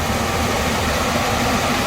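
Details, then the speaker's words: HVAC furnace blower after the blower wheel was replaced to cure a screeching and scraping noise: a steady, even rush of air with a low hum and no scraping. Normal blower operation after the repair. "that runs well no horrible noise"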